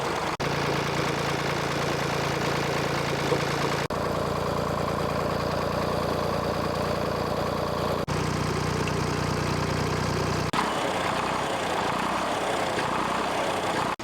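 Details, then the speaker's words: 1964 Lamborghini R2 diesel tractor after priming the dry-run injection pump and bleeding out the air bubbles: a steady, even idle with a smooth low rumble and no stumbling or hunting; normal idle. "so that's how you uh prime a pump that's been ran dry on a Lamborghini [Music] tractor"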